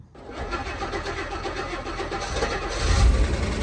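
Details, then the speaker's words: Rolls-Royce that had broken down with an ignition power loss, started right after a fully refurbished ignition switch was refitted. It cranks, catches cleanly and settles into a steady idle; normal start. "we have ignition and it's running look at that amazing"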